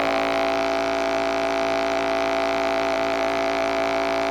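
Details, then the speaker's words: Toshiba Satellite 2595CDT laptop with rust and corrosion from poor storage; loud steady fixed-pitch buzz builds from speakers after sitting, unaffected by volume wheel, gone when left speaker is unplugged from system board; feedback noise from grounded left speaker wire. "so you can clearly hear the problem there and as I say if I disconnect the left speaker from the system board that problem goes away and we can just get audio without any issue from the right speaker"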